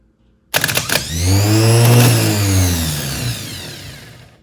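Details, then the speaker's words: Chevrolet 9C1 starter bench-jumped from big post to small S post: sharp engagement, then clean whine rising to full speed and winding down freely; starter spins strongly and sounds healthy, unlike the previous starter. "I'm going to jump the big post to the small post that has an S above"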